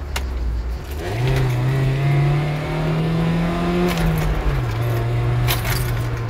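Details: Mercedes S202, after fixing the fault that limited it to 4000 rpm, with the airflow meter the culprit: engine pulls cleanly through the rev range at full throttle, pitch climbing smoothly with no stumble; power restored.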